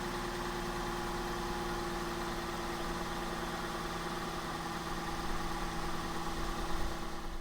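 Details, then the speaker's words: Abandoned Suzuki Wagon R+ after sitting, first start, cold on choke: fast, steady, even idle with no misses or knocks and no exhaust smoke; runs nicely. "So not too bad. Obviously it's on the choke at the moment. It seems to run pretty nicely. No smoke coming out the back or nothing like that."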